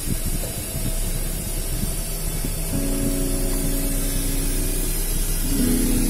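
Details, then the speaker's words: Car MP3 player FM transmitter set to 102.7 FM, the same frequency as a Makassar radio station, playing through the car radio: constant hissing crackle with faint music, signals clashing, FM transmitter interference static. "Tapi bunyinya bentrokan dengan sinyal radio, frekuensi radio. Akhirnya bunyinya kresek-kresek begini, nggak bagus."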